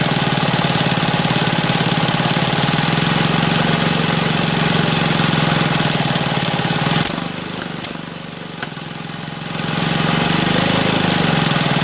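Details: Restomod BSA with Villiers engine spun by a 3 kW brushless motor, not running on its own: steady four-per-second cranking with ragged irregular popping. Severe misfire; owner suspects timing.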